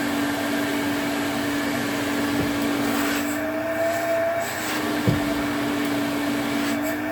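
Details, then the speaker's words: 1980s Electrolux Twin Turbo 500-series exclusive (1988 Z517 or 1989 Z521) with a 550 W motor, on a quick run test. Steady, even motor whine at one pitch with no rattle, scrape or surging. Motor runs healthy and suction is good. "Yeah, that sounds all right. No frrills, but then no disasters either."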